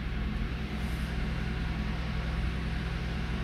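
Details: Toyota Avalon, cold engine: low uneven lumpy shaking idle; misfire confirmed on cylinder 1, cause unknown, suspected injector, spark plug or ignition coil; fades when warm.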